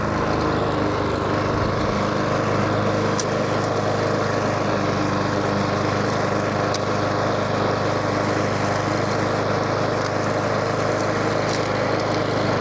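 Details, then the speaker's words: Cobra Model 350 petrol lawn mower after carburettor cleaning and governor/idle screw adjustment, about one and a half turns up; steady, even buzz with no surging or dying; runs smoothly, fixed. "Let's get this thing going first and see how she sounds. Well, straight away that sounds a lot better."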